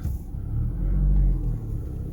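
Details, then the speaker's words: VW Golf MK6 salvage car, first start with a dead battery: deep, even rumble revving smoothly, no timing chain knocking or ticking; normal idle. "oh yes she sounds good first impressions yep chain a knocking ah nothing"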